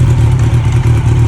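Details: 1992 Honda Nighthawk 750 after shift shaft oil seal replacement and oil change, clutch replacement still due: smooth, even low burble at idle with no tapping or misses; engine sounds healthy.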